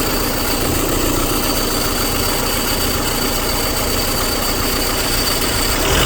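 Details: 2001–2005 Honda Civic LX engine at idle: rough uneven rattle over the engine hum, strange noise when accelerating; worn-out timing belt tensioner.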